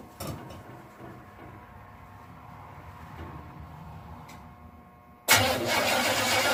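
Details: 1967 Chevelle first start since 1977 on original wiring (except front clip), after cleaning a bad ignition switch connection: quiet stretch, then engine catches and settles to steady idle with busy top-end clatter; oil pressure about 40 psi, not charging yet.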